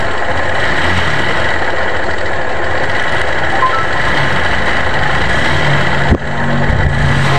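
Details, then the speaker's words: 2022 Honda Beat Deluxe scooter idling with CVT cover and front pulley removed, rollers fine; coarse gravelly rumble under steady idle, rough engine noise remains, crankshaft bearing suspected but unconfirmed, full engine teardown next. "Oke guys, ternyata mesinnya masih berbunyi kasar, jadi kita harus bongkar total ya guys ya."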